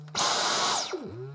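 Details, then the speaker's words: Dyson Cyclone V10 Total Clean cordless vacuum, brand new at first unboxing, about 20% charged, middle power setting: motor snaps up to a high, steady whine, then sweeps down smoothly with a weird sort of reverb at the end; normal start and run-down. "has a weird sort of reverb at the end."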